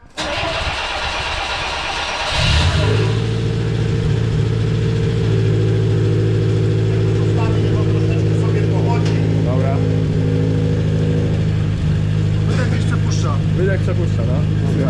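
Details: 1974 Fiat 125p cold start: catches and settles into a loud, raspy idle with a puffing chuff under the engine note; exhaust leak from a holed middle silencer, spare silencer supplied for swap.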